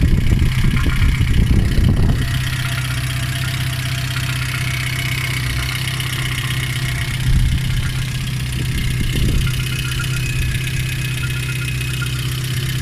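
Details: Lada 2114 1.6 8-valve petrol engine idling, run to flush the cooling system with citric acid and water, alternator belt removed: light irregular knock over the steady hum with a few louder thumps early; owner suspects the water pump.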